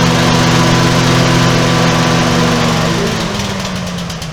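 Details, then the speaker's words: Small lift engine after repairs, started with a little less choke: runs steady, loud and harsher than normal, then winds down; the little muffler pipe on the base plate has rusted through. "we do have a problem with the muffler here part of the muffler the little pipe there on the base plate it rusted through so we have to get another one"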